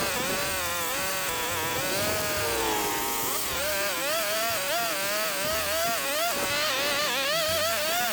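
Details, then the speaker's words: Echo two-stroke weed whacker after broken drive shaft repair, cutting weeds: high buzz rises and dips under load with no grinding or rattle, over background music; running properly, repair appears fixed. "Well, there you have it. I think it's fixed."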